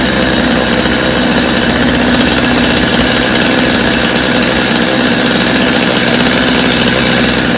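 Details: Customer's Stihl chainsaw after reassembly, original Bosch spark plug, started from full choke; steady high buzzing two-stroke note, even throughout, no misses or surging; idle a little high but otherwise running cleanly, little carb adjustment needed.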